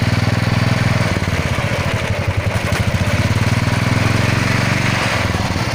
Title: Royal Enfield chain and engine noise